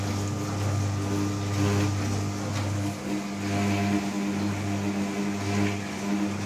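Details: New Candy Trio 9501/1X running loudly: a steady low hum with a droning overtone that swells and fades every second or so; loud humming resonance, cause unclear.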